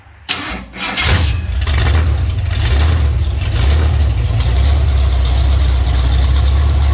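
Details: Ford 351 Cleveland V8 on a homemade run stand, first ever run: the starter whirs briefly, then the engine catches and settles into a deep, steady lumpy rumble; a healthy first start.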